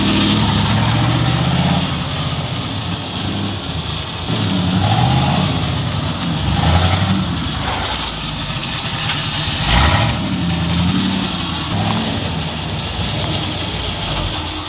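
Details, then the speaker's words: 1986 Ford F250 just after a ZF5 transmission swap: a harsh, uneven grinding at the flywheel over the running engine. The starter solenoid is suspected stuck with the starter riding the gear; a wrong AOD backing plate is also suspected. "I think the solenoid got stuck, so I think it's just riding the gear right now. But that's an easy fix. It definitely sounds bad though, but it's not as bad as it sounds."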